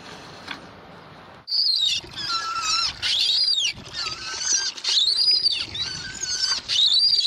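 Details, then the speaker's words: Water pump with improvised seal, a short pipe ring sandwiched in to squeeze the seal against the pipe: high screeches rising and falling with each stroke as it rubs; the seal stops water squirting out but screeches. "so it's a little screechy uh but it works and you know it keeps the water from coming out right there"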